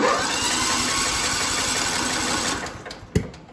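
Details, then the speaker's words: John Deere L110 mower with single-cylinder Kohler Command engine, spark plug already replaced without fixing it, flywheel key suspected; uneven stumbling cranking with a sharp pop, tries to catch but won't run, backfire while cranking, no start. "it's like a backfire and it sounds really like it's gonna try to start but it won't"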